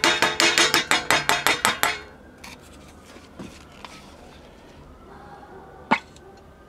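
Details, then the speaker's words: 1962 Sears Silvertone tube black-and-white portable TV on a current-limiting bulb: sharp rapid electrical snaps about five a second, then scattered cracks, a gassy tube with blue glow arcing inside. "you can hear it arcing inside that's cool"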